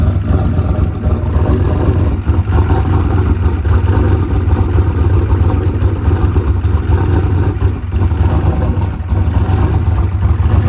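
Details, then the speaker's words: Coyote V8 with 107mm turbo and lock-up converter, after injector settings changed to 850s at 9 psi fuel pressure: choppy low rumble with scattered pops and crackles, running a little lean. "all right so we got that thing it was running a little bit lean lean popping go ahead and crank it back up Donald"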